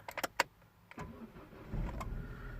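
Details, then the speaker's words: 2006 Vauxhall Meriva with replacement engine, cold start in neutral: a few clicks, brief labored crank, then catches into rough idle; owner reports very hard morning starts, attributed to blown head gasket pouring water into cylinders. "she did complain that it was really really hard to start in the morning no I think that's just cuz it's pouring water into the cylinders"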